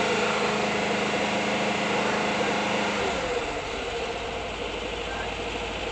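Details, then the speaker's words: 1979 Volkswagen Bus air-cooled flat-four, first start after full rebuild, not yet tuned, hydraulic lifters still pumping up: steady, even idle patter with no knocks or misses; sounds healthy. Normal idle. "Sounds good, right? Running. Didn't even tune it yet. I gotta let the hydraulic lifters build up. Sounds really good."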